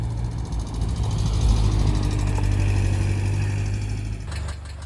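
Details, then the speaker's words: Subaru EJ engine in a VW Syncro Doka conversion, close up at operating temperature: faint light ticking over the idle rumble from bad hydraulic lifters, to be replaced. "close up at operating temperature disgusting noise, hm? lets fix this and replace some bad hydraulic lifters!"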